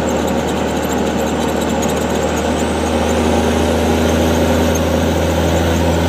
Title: NV5600 making weird noise